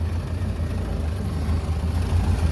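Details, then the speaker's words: 1930 Ford Model A four-cylinder barn find, revived after 45 years in storage, warm after a test drive, about 85°F outside, temperature near 170: low, even idle thump with no knocking or stumbling. Running well, no leaks seen. "and there we go running really good I don't see any leaks"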